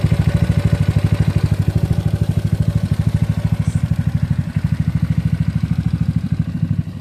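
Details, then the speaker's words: GY6 engine with OKO PWK 30mm carburetor during tuning, mixture screw turned counterclockwise little by little: slow, soft, lumpy pulsing idle, quiet but close to dying; idle too low. "this one looks like it's quiet but he look like he's about to die"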